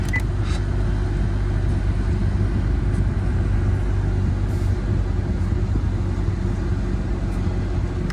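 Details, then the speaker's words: 2013–2017 Honda Accord after high-pressure fuel pump replacement for P0087, fuel pressure relieved so extended crank possible, left idling about 30 seconds: smooth, even low engine drone without misses, ticks or hesitation; normal running, repair complete. "all right to go ahead and let the car run for about 30 seconds here and then we'll go ahead and gas"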